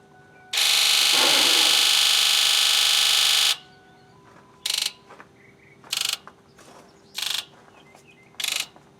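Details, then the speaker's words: 2001 Ford F250 7.3 Powerstroke, after in-tank filter change, key-on injector buzz test counting off injectors 1-8: shrill electric buzz bursts of similar loudness; all injectors relatively close, healthy. "all righty well it sounds like pretty much all the injectors are relatively close"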